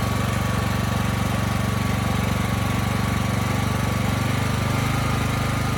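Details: Briggs & Stratton Elite Series generator (model 030471-01) after repositioning the oversensitive governor spring and backing off the speed adjustment screw: even, steady low thrum at constant speed with no rising and falling; hunting gone.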